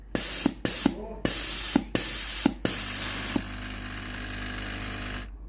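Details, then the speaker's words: Philips GC9231 steam iron being repaired for weak steam; a few sharp spurts then a strong steady hiss, no sputter or gurgle, confirming water valve and boiler work normally. "ถ้าเทสได้อย่างนี้ในส่วนของตัววาล์วน้ำและในส่วนของตัวหม้อต้มนะครับปกตินะครับ"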